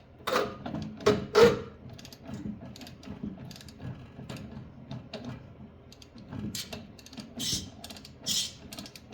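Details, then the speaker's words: Yard Machine snowblower turned slowly by hand: irregular clicks and gritty creaks from inside the gearbox in both directions; something is catching inside, cause not yet found. "Let's see if we can get it to rotate. Oh. There we are. Oh, let's go back. What is that noise? Oh, not. Okay, let's go back the other way. Something going on in there."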